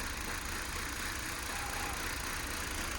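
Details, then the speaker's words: Car running with the engine management light on after an intake/exhaust swap, engine visibly jumping: an uneven, chuffing idle with irregular puffs and no steady beat, like a misfire; a fault code was stored. "it was chuffing it's chuffing like it's misfiring please you see it's like it's moving a bit as well like jumping"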